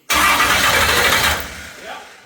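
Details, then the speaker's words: Fresh stroker LS at first fire-up: catches with a loud burst, runs uneven and lumpy for a second, then dies away; a pushrod was left out of its lifter, so an intake rocker never opened, causing a dead, missing, loaded-up cylinder. "So, unfortunately, we were not opening the intake rocker, and that's why it sounded like it was missing, loading up."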